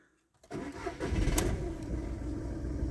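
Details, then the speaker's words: Ford Ka, 97,000 miles: brief crank then catches at once into smooth, even idle with no stumble, no warning lights; normal cold start. "start starts you have started from cold and warm no concerns on that front at all clutch is nice no worries on that nice smooth Idle No warning lights"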